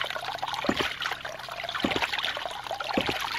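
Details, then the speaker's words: New 2-inch Agri Papa Pump ram pump on a quick test install, with someone standing on the drive pipe: sharp valve clacks about once a second over trickling water, steady and regular, so the pump is cycling properly. "hey now we're talking very cool it is actually still moving under my weight very cool"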